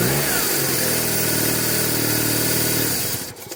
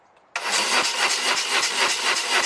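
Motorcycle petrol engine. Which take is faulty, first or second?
second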